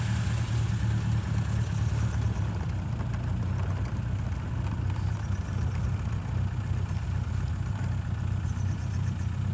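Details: 1936 Rover 12 tourer, about 90 years old, first start in March after three months' winter layup, head cleaned last year, about 7 °C outside: steady low even idle, soft regular beat, no knocks or rattles, oil pressure 20 rising toward 30; normal cold idle.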